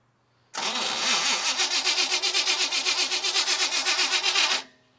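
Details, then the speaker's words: 1974 Chevy K10 pickup, 4-speed, sat over a year and a half: steady starter churn about four beats a second, turns over but won't fire; a component found fitted on tank side of pump, starving the carburetor. "they had this on the tank side of the pump and not on the carburetor side of the pump which means as they were pumping gas to that they were never going to guess the carburetor"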